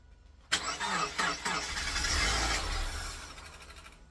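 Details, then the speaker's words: Engine being reassembled after repair (manifold, injectors refitted) cranks in short bursts but won't fire; suspected flat battery and air in the fuel system needing purging. "Should I give it a crank? Why not? Okay, that sounds like a flat battery. It does sound like a flat battery."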